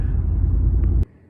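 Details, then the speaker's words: 1999 Ford Expedition idling with a deep, uneven rumble and a heavy knock underneath before shutting off. The engine has a rod knock, and the truck also has lean codes, a rusted-out frame and a bad left upper ball joint, so repairs are on hold. "he might do upper control arm but he's gonna wait on that because he's not quite sure he wants to do yet with the rod knock and the frame being rusted out so that's the end of that movie"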